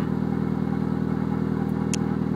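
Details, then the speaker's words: 1997 Mitsubishi Eclipse GSX, stock T25 turbo at 12 PSI, reportedly rebuilt engine, A/C belt removed: constant grinding at idle on timing belt side, rising with revs; worn water pump bearing, also alternator bearing, replaced, silent after. "to me it kind of sounds like some type of bearing that's making that sound for the the grinding that like grinding noise that just constantly kind of sits there it goes up with revs also so it's definitely in the belt area"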